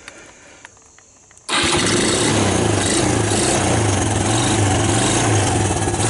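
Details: ATV running after a no-spark fix using a custom DC-powered CDI harness conversion, started on choke: silent, then it catches at once and settles into a steady, even single-cylinder putter with no misses, running healthy.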